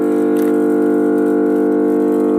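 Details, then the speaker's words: 315 MVA transformer (ICT1) at a 400 kV substation, just energised after maintenance: loud, steady low hum with unchanging pitch, no crackle or buzz; large transformer running normally. "इन को अपन charge करेंगे वैसे ही transformer का जो sound होता है, humming sound, वो आना start हो जाएगा।"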